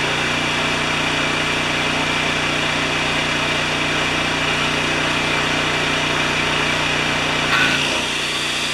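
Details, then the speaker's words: Non-starting Mitsubishi generator, small petrol engine, during repair with the filter off: it catches and settles into a fast, steady buzz on choke with a faint tick, so it now runs. "okay you ready it should fire it up on choke"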